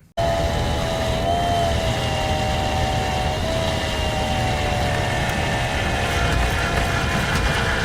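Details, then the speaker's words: AMD Radeon Fury X AIO water cooler pump after much coolant has escaped: a harsh, wavering whine over rough grinding that never settles as the starved pump struggles to move fluid, so the noise comes from low coolant. "so much fluid has escaped from this guy that it sounds absolutely scary and really it really hurts like my teeth"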